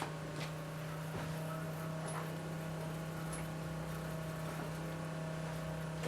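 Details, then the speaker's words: Porsche 928 Bosch K-Jetronic fuel system with the engine off and the fuel pump jumpered: steady low electric whine at an even pitch as pressure builds and brown fuel flows through. Fuel pump running normally under load. "so you can hear the fuel pump under load really brown liquid coming through"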